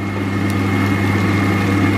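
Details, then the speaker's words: Kitchen range hood fan running while frying: a constant, deep, even drone with no rise or fall; the hood hums loudly but extracts little air. "Слышите, ребят, у меня вытяжка гудит, да? Она такая у меня убойная. Больше гудит, чем вытягивает."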